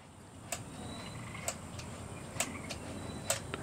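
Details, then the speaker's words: 4-stroke 7G motorized bicycle build, throttle being worked by hand: four crisp clicks about a second apart as the throttle snaps back against its stop screw, showing it shuts all the way; throttle closing fully onto stop screw. "that way when you release the throttle it stops against the screw and you can hear a noise when it when it bottoms"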